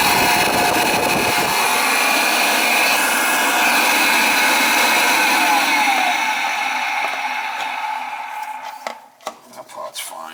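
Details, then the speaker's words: Oil-fired boiler burner that wouldn't fire up, not heating the house: harsh high whirring whine with rough buzz winding down and stopping; technician suspects the burner motor is going, doubts an oil flow issue. Suspected, not confirmed. "let's find out what's going on with this you will get for oil flow motor sounds like the baron's gonna walk on us there's another motor what's happening"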